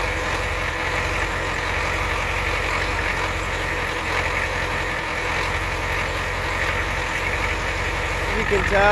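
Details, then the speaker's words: Ford 7.3L IDI diesel after replacing valve cover gaskets and fuel return lines, recorded by the exhaust tip while bleeding the fuel lines; steady idle clatter with a slightly uneven beat, running rough from air still in the lines. "running a little rough so [Music] the air coming out of there there's a good amount of air in there that we just got out"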